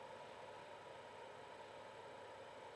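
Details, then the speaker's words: Creality CR-10 V3 control box after replacing the bad, groaning main controller fan: only a soft, even whir with a faint steady tone and no grinding or buzzing; the fan is running quietly and normally. "no grind no Burr that's how it should sound so this guy is happy everything's looking good"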